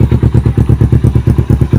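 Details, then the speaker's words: Kawasaki Ninja 250 FI twin with Yoshimura exhaust, at night: deep, even thumping about eight beats a second with no knocks or misses; normal, very smooth healthy idle. "Nah, jadi kalau misalkan motor 250 itu masih normal, suaranya sangat halus teman-teman."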